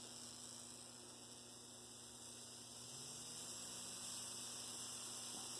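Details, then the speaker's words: Rebuilt Bachmann GP30 pancake motor running at low speed, just under 3 volts; faint, steady hum rising slightly with speed, no scraping or catching; normal low-speed running. "rolling, just under 3 volts, still rolling. That's pretty good performance. It's really not bad at all."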